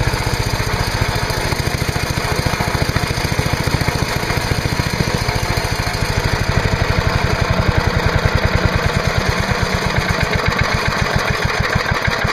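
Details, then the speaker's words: MTD Yard Machine chipper/shredder, 5HP Briggs & Stratton single-cylinder, after new spark plug, new air cleaner, oil change and fresh gas: crisp, even firing, steady, no misses or surging; running normally, nothing really wrong. "nothing really wrong with it wasn't a hard troubleshooting was it"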